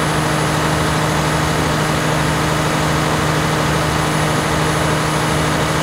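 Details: 1106 diesel generator at full 100% load after the injection pump droop adjustment that fixed hunting and unstable frequency. A steady, even drone with no surging; the governor is stable.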